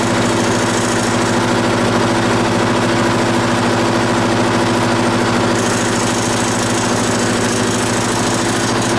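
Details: Onan BF 16hp twin with DD11 carburetor, run on choke after rebuilding the pulse fuel pump: even, steady chug at a settled idle with no misses or knocks, no leaks; a clattering noise noticed afterward.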